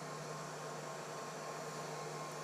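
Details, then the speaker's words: Prusa CORE One enclosed CoreXY 3D printer, chamber fans at full speed heard from about a meter away: steady even rush of air with low hum, no rattles or pulsing; quite loud at full, quieter during printing; normal. "so it is it is a lot of air you could build a duct system for this and easily be able to duct this smell outside it is quite loud when it is all the way up but during the actual print itself it did not get all that loud"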